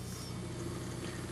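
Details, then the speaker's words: Wollensak 4310 cassette recorder in rewind: low transport rumble with dull uneven thumping, caused by the rubber idler tire, permanently fixed to a brass piece, flat-spotted from years pressed against the capstan flywheel; flat-spotted idler tire thumping. "And you may be hearing some thumping. And that thumping is caused by this idler. The other side of this idler that we looked at before has a flap because it was pressing against the capstan flywheel for all those years."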